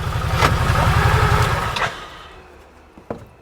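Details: 2018 Odes 1000 X4 LT two-cylinder UTV, housing and acoustic barrier off so very loud, after repairing damaged injector number two wiring (fault code) plus primary clutch issue; loud even firing pulses from both cylinders, healthy.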